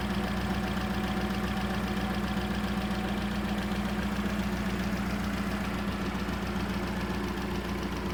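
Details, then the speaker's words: VW Polo GTI 6N2 track car, replacement engine on first start in the car, cold and warming up: steady, even idle with a low hum and no knocks or misses; normal idle. "So we've got it running. You can hear it running in the background."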